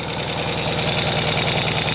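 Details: Ural sidecar twin after repairs for an engine noise (timing rechecked, valve clearances reset, clutch rod fixed, new gaskets): a steady, even idle with regular firing pulses and no knocks or misses. Normal idle.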